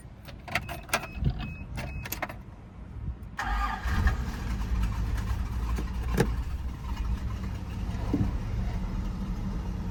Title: 1 owner fj60 cold start FIXED EXHAUST LEAK